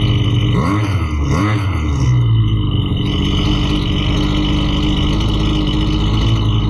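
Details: Husqvarna 329L string trimmer, brought in for bogging and not staying running, test-run after carburettor reassembly and needle adjustment: small two-stroke holds a steady buzzing idle with no surging or bogging; running properly.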